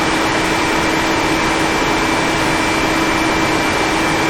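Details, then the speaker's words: 1974 Chevy Nova with new Chevy 350 engine, electric radiator fan tested via relay with ignition on before first start: steady even whoosh and constant hum, no rattle or scrape, moving good air; fan running normally. "there we go that's moving a pretty good bit of air i'm pretty impressed with that so"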